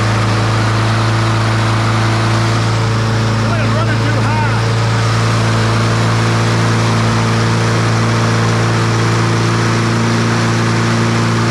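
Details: Troy-Bilt TB200 push mower, Briggs & Stratton 550e 140cc engine, dark oil, before service: loud small-engine drone with an uneven, hunting beat underneath instead of a clean steady run; running rough.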